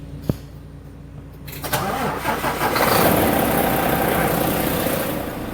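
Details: Volvo D13 diesel truck that had long cranking and no-start from bad injectors: a click, brief crank, then it catches within seconds and settles into a steady, even idle, starting cleanly.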